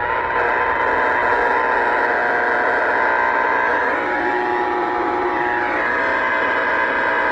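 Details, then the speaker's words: Radio in a moving vehicle picking up a harsh, raspy steady buzz, about 20 dB RFI, growing as it nears arcing power poles in a neighborhood; power pole arcing noise being tracked down. "starting to hear the arcing poles now on West cavilla turnning eastbound on"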